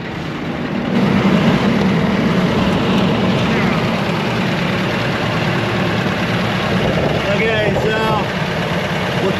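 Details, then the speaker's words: Ford F150 4.6 V8 with reported engine knock, oil bottles in bed, first start: rough uneven idle with lumpy beat that stumbles, misfiring a little and rattling; engine misfire at idle, not leaking oil. "of misfiring a little bit and it's rattling a little bit it's not the greatest"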